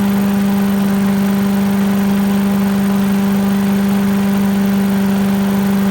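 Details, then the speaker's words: 1980s Billy Goat vacuum small engine running after turpentine-smelling fuel drained and fresh gas added, spark weak; steady, even drone, no stumbles or knocks; needs extra pulls to start, owner suspects low compression, but runs like a champ; normal running. "looks like it works looks like it just uh I don't know needs a few extra pulls maybe low compression or something but runs like a champ once it runs"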